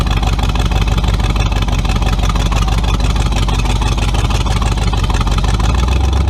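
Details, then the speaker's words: Tunnel-ram 350 V8 with two Edelbrock 600 cfm carburetors (1405/1406), final test: deep, lumpy rumble pulls hard and evenly under load with no stumble or hesitation. Runs healthy, much better. "whoa definitely better oh yeah much better"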